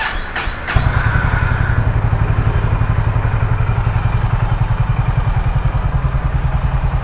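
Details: Honda H'ness CB350 after throttle-body cleaning/service: starter catch, then steady deep thump about 220 per minute with no misses, no engine malfunction light; healthy.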